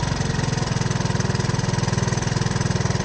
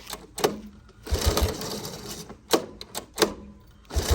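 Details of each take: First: 1983 Honda ATC 185s single-cylinder ATV, aftermarket carburetor, during carburetor adjustment to fix hard starting; steady, even idle with a regular low thump, no stumbling or hunting; idle sounds about right. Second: 1983 Honda ATC 185S, lately starting only with starting fluid, during carburetor screw adjustment (set to 2.5 turns out): short rattling pull-start bursts about every three seconds, turns over but never fires; hard no-start, cause suspected carburetor.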